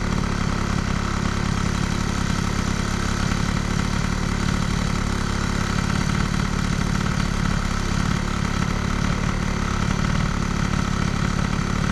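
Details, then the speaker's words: Air-cooled moped with Stage6 103 cylinder, Boost head and crankcases, Stradivario variator and Athena flat reed, fitted with a thicker decompressing head gasket instead of the 0.50 alloy one; steady, softly burbling two-stroke idle, carb slightly rich but not the cause of overheating. "la carbe est un petit peu grasse, hein, comme vous l'entendez. Il y a un petit peu de grassouillis sur le filet de gaz."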